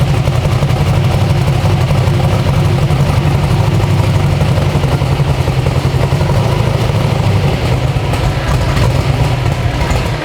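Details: 372 small-block Chevy V8 in an original S10, on an LS tune file after timing was added; a loud, deep, lumpy idle holds steady without stalling or misfires. Normal idle.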